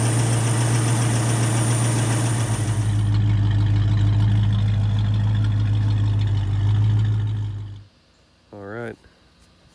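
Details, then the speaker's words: 1972 Ford Maverick Grabber V8 after fixing a big vacuum leak between the spacer plate and the Motorcraft carburettor with a homemade gasket: smooth, even idle with a steady low beat, no hiss or stumble, until switched off. "we figured out it was a big vacuum leak between the spaceship plate and the motor craft to put on there we made our own gasket to retrofit and make it work and it's running right now"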